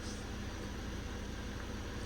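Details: Ford Transit Custom after the belts, tensioner and idler pulleys were replaced: low, steady diesel idle with an even hum and no rattle or chirp from the belt; the previous rattling is gone.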